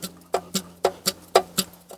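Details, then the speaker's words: Ruston PB8 engine being rebuilt: sharp metallic clacks, about four a second, as a loose replacement piston is rocked by hand in a worn cylinder. Bore too worn for this piston; the plan is to go back to the original matched piston. "That's the piston going like that in the cylinder. So that piston, or that cylinder, is far too worn to accept that piston."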